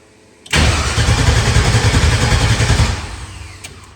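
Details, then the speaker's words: LS-swapped truck, fuel pump newly wired, ECU swapped to rule out VATS, engine grounds reworked; starter churns steadily at about three and a half turns a second and never catches; runs on ether. "Then we just farting around with engine grounds, and we got a fuel pump wired now, so it does a thing. But we just crank and we don't fire."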